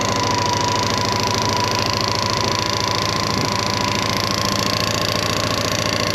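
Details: 1998 Honda PC800 after fuel pump replacement: new pump heard priming fuel, then fast, even, steady running with constant tone and no stumbles or misfires; normal running.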